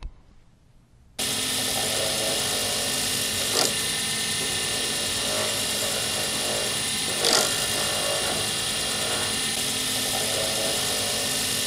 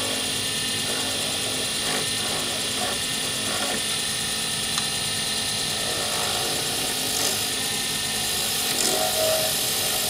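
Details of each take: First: Lathe turning a D-shaped circuit board blank for a Sierra pen: even spinning hiss with two short, sharp scraping flares; the tool is catching and scratching the blank, which should be avoided. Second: Lathe turning a D-shaped circuit board blank for a Sierra pen, ends pre-turned to bushing size: steady, even hiss of the tool shaving the spinning blank, no chatter or catches; a clean cut with very little noise and shavings in ribbons.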